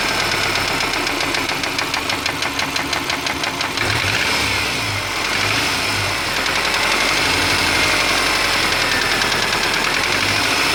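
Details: 2003 Subaru Forester: steady sharp knocking about three per second at idle, long-standing and getting worse, persists when warm, nearly stops at higher rpm; owner unsure whether piston slap, rod knock or belt tensioner; oil changed every 3-5k.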